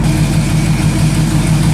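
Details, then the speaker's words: 1983 Jeep CJ, heavily used off-roader: deep steady idle with a light puffing tick in time with the firing; exhaust manifold leak, not yet fixed. "Such a beast. It does have an exhaust manifold leak. We'll have to ask him if he wants me to fix that before it leaves."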